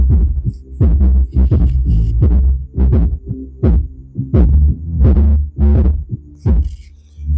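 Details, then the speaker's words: Home theatre before repair, music playing with treble, bass and volume set full: only deep bass thumps and no voices or highs. "इसमें base की आवाज आ रही इसमें दूसरा कोई sound नहीं आ रहा है"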